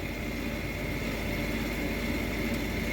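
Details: Payne furnace draft inducer after motor replacement, old motor had made a chopsaw-like noise; even smooth whir with light steady hum, no chopping or grinding, sounds way better, furnace then lit; normal operation.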